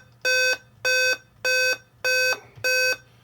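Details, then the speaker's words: Dell Inspiron 15 5000 series (5552) laptop at boot gives repeating sets of seven evenly spaced mid-pitched beeps; backlight comes on but nothing else, Dell seven-beep code indicating CPU error. "seven beeps so it's repeating seven beeps the backlight goes on but nothing else happens meaning it's getting power to the screen something's happening so it's doing something now um what if you look it up what that seven beeps tells you uh is that there's a CPU error"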